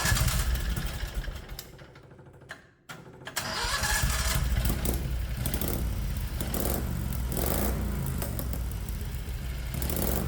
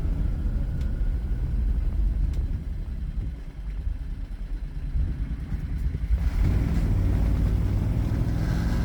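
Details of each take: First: 670cc Predator engine in a 1969 Renault R10 with new dual OKO carbs and an electric pulse fuel pump, first start after sitting a while. It catches after brief cranking into a fast, slightly lumpy idle, set too high and hindering shifting into gear. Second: 1969 Renault R10 (1,800 lb) with a 670cc 25 hp Predator two-cylinder engine, CVT and newly fitted dual 24mm OKO carburetors, driving with a deep, even twin drone pulling steadily under road noise; runs clean under load.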